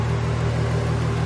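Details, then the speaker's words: VW Jetta VR6, first start-up, earlier loud head noise suspected dry hydraulic lifters; after about 10 minutes of driving: smooth, even low idle, steady hum, no ticking or knocking; normal idle. "And I drove it for about, let's say, I want to say 10 minutes, and so quiet now. It sounds perfect."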